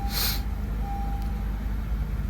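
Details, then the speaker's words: 2015 Honda Accord 2.4L K24, on second start after replacing VTC actuator, timing chain, guides and tensioner, settles into an even, low steady hum with no rattle or chain slap, after a weird noise on first start; normal idle. "oh my God that sounds so smooth wow yeah so every time you change your tensioner it's going to make a weird noise and then the second time it'll be totally quiet"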